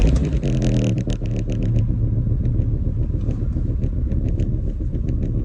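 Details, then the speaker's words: VW VR5 estate with a knock that appeared under hard driving, just started: dense, fast rattling knock over a low rumble, inaudible at low revs and louder as revs climb; owner suspects the timing chain tensioner, possibly a bent valve. "You can't hear it when it's at low revs, and when it gets higher it gets louder, and that's what makes me think that it's the tensioner, hopefully, because that's the cheaper one."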